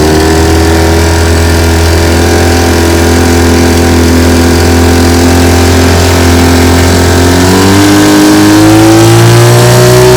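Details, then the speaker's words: 1950 Johnson TN-28 5 hp outboard, restored, on-water test run; even, steady two-stroke drone climbing smoothly in pitch as the throttle opens, no misses or knocks. Normal running under load. "i'm out here on the bayou this morning with my tn 28 1950 johnson five horsepower taking it for a test run she runs pretty good let's see what she can do"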